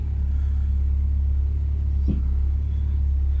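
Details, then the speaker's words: Ford Focus ST170 track car idling evenly, then one dull clunk as the steering wheel is turned from centre, caused by a faulty reconditioned steering rack. "This is my reconditioned steering rack. I'm in the centre position. I'm hoping you can hear this now, but listen to the clunk when I turn it from centre."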